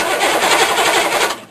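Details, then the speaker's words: Diesel cranked on freshly installed rebuilt starter after engine mount and fuel bypass hose replaced, no glow plugs, batteries not fully charged: brisk even cranking whir about 1.5 s, no grinding or clicking; starter fine, won't start. "doesn't sound too bad not going to start"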